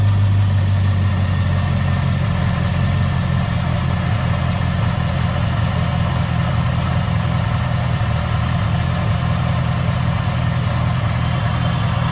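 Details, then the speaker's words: Supercharged 2015 Chevy Camaro ZL1 V8 just after an engine flush and change from Royal Purple to Amsoil oil: deep smooth rumble settling into an even idle with no ticks or knocks, owner says it feels smooth; normal idle. "you definitely tell the difference just in the way you hear the engine without calm the whole way all the way down feels smooth"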